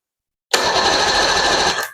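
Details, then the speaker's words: 1993 Evinrude 115hp outboard, unknown history, reportedly last ran about 2 years ago, with cleaned starter installed on a low battery being charged: brief, strong, even starter spin, steady high whir, no grinding or dragging; cranks healthy. "All right, starter's installed, and I put a battery charger on the battery, so it's kind of low. Let's see what happens."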